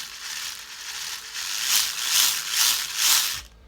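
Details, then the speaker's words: Axial Capra RC crawler transmission after the gear mesh was loosened to cure clicking and loud running: short bursts of light gear whir with throttle, no clicking or skipping. The gearbox sounds normal. "that sounds perfectly normal to me now so i'll get it built up and uh we'll get it out"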